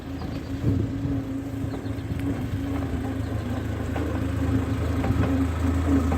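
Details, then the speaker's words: 1939 Ford 9N tractor on road test in high gear after being brought back to running; engine pulls smoothly and steadily with a low even hum and no knocks, possibly straight-cut gears, good clutch; healthy under load. "What an absolute sweetheart this thing is. Like they usually are."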